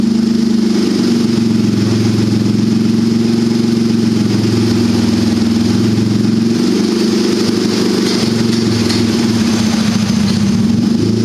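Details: Turbocharged buggy, ice-cold engine after setting the fuel level lag factor to maximum smoothing: steady, even idle drone with small rises on throttle blips, no stumbling or dying; fires right up and idles better than ever.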